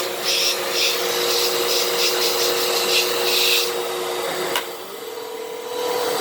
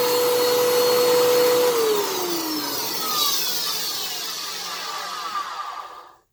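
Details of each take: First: 12 Amp Fantom Fury upright vacuum, made October 2000, after repair, on carpet: strong, even motor whine with some bristle swish, no choking or surging; normal healthy running. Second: 10 amp vacuum cleaner: very loud, rough roar with a whistling tone sliding down as the motor winds to a stop; sounds harsh, cause unclear.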